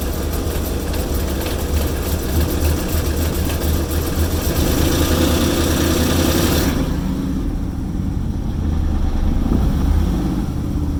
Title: Oil Pressure Reading at Rough Idle